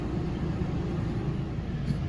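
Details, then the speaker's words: 2020 Thor Freedom Elite RV generator after its 30-second warm-up, powering AC, microwave, outlets and TVs: steady even low hum, no surging, knocking or hunting; normal running under load. "After you start up the generator, it does take about 30 seconds before the power will actually come on. That's just the warm-up cycle for the generator."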